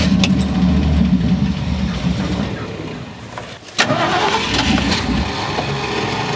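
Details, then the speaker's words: 1972 Ford F100, unrun over 10 years, 1408 carburetor with stuck floats: catches and runs unevenly, sags almost to nothing, flares back briefly; running out of gas, not enough fuel in the float bowls, still overflowing. "So right now it's just running out of gas. There's just not enough fuel in the flow bowls."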